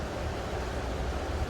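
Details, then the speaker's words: Uni-T UTP3315 bench power supply with no load connected: steady airy whoosh over a low hum as the cooling fan runs constantly and fairly loudly, never switching off at no load, which the reviewer dislikes. "Fan එක of වෙන්නේ නැහැ. ඒකට නම් මම ඉච්චර කැමති නැහැ. මොකද හේතුව මේ ෆෑන් එක ඔෆ් වුණා නම් හොඳයි."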